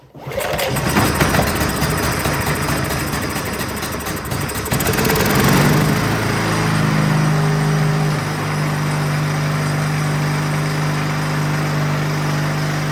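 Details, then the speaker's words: Champion 224 cc generator, model 100892, that wouldn't start, after carburetor cleaning, started choked while cold: starts quickly, settles to a steady even hum with no misses; running normally. "all right running the the way that it should um the best that it's going to"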